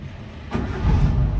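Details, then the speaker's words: 1994 Suzuki Katana SJ410 engine start: brief starter whirr, engine catches at once and settles into steady low idle; clean, healthy start. "Yuk, kita nyalakan untuk mesinnya, Teman-teman."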